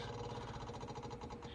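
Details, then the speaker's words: Yamaha YZF600R Thundercat, hard-starting bike started with choke fully out and idle adjuster wound in; quick, steady light ticking with faint hum as the fuel pump clicks away priming normally before the engine fires. "Hear that little fuel pump clicking away."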